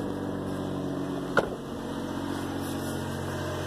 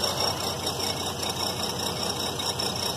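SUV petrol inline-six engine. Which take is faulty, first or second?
second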